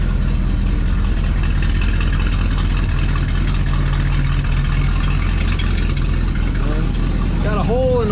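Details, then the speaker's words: 1973 Chevrolet Chevelle Malibu V8 running right after a new electric fuel pump was fitted (the old one died when the tank ran dry): loud, steady idle with a raspy puffing edge; exhaust is leaking. "over here got a pretty decent exhaust leak i don't think they're concerned about that as much as they're concerned about the car not running"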